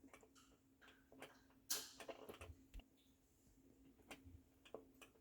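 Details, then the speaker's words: KitchenAid dishwasher KDTM354DSS4 with spray arms not moving and poor cleaning: sharp light clicks at uneven intervals as the overflow float is lifted and dropped, contact switch working normally, likely not the fault. "you can hear it clicking that's the contact switch on my model"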